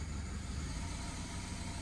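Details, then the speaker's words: 2008 BMW E90 318 petrol with multi-cylinder misfire, during injector actuation test: after the injector is switched back on, idles with a steady low thrum free of stumbles; the faulty injector was later replaced. "and the car runs just fine so same you can do with any other here"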